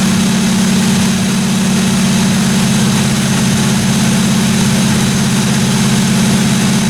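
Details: 1957 Chevy 210 project car at idle during its first-run camshaft break-in of about 20 minutes: even, steady idle hum with no valve-train ticking or clatter; engine running cleanly, normal idle.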